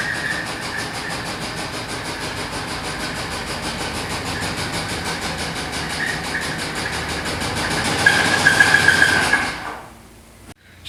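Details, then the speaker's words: 1997 Chevy K2500 service truck, Vortec 350 5.7 V8, about 220,000 miles, jump-started after sitting months: loud rough uneven chug of three to four beats a second, swelling then cutting out; rough running, engine to be pulled. "all right let's try this again oh that sounds bad all right it's running let's go ahead and get this thing inside before she blows up"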